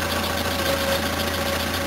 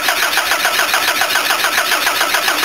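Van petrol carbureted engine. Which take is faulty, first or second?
second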